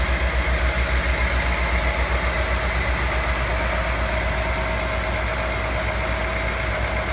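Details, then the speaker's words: Frame-off Ford Thunderbird restoration, fresh engine test-fired on the chassis with the coil hot-wired to the battery and temp/oil gauges on the frame: an even, steady low pulse at constant idle with no ticks or knocks. Normal idle. "Gives us power to our ignition, and with this button I will crank the engine and let's take a listen. Yep. That's what you want to hear. That sounds really nice."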